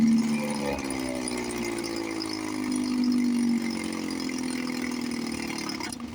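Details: 1954 Johnson 5.5 HP outboard, a dad's barn find, running with the cover on after a carburetor rebuild. Steady, even, smooth buzz easing slightly lower over time, no misses or knocks; water pump pumping well. Normal running.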